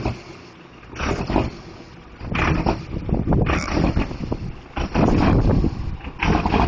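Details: Diesel truck with a bad injector: rough, uneven running with irregular loud lumpy bursts and a choppy beat over a deep rumble, a misfire from the faulty injector.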